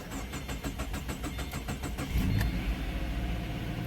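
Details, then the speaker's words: 2013 Subaru Impreza with replacement engine, start after CVT fluid added: starter cranks in rapid even chatter about two seconds before catching and settling into steady idle; slightly hard start, runs smoother, camshaft position sensor check-engine code still present. "A little bit of a trouble starting up, but it does sound a lot smoother now. That sounds much better."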